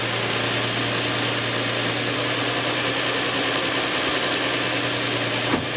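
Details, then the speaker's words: 2004 Infiniti FX35 after cleaning mass airflow sensor and air filter to fix lean-condition rough idle that stalled car; steady even idle, constant low hum, no hunting or shaking; normal idle, problem fixed. "so far so good no rough idle no shaking is easy so I guess we fix the problem"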